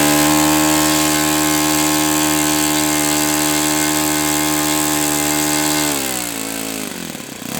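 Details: OS FS-91S II four-stroke RC engine on a test stand, first run, warmed to operating temperature and feeling freer; clean, steady high buzz holding pitch, then dropping smoothly as the throttle comes back; runs healthy.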